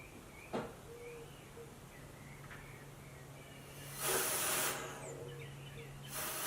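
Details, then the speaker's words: 2005 Scion xA (Toyota) with a check engine light, evap diagnosis with the gas cap open: short bursts of soft air hiss as air is pushed through the evap line, which flows freely and is not blocked. Faults found were a broken purge valve solenoid wire and a cracked vacuum hose. "so I'm gonna go ahead and try to flush some air through the system here and see you should hear bubbles you should hear sound without you're open for it"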